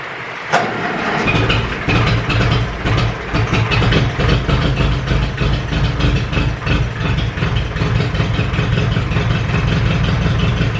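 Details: Ferguson 20 petrol/TVO four-cylinder tractor, sat 10–15 years, running indoors with leaking coolant hoses: catches after one crank into even steady idle, no misses; oil pressure good, running cleanly.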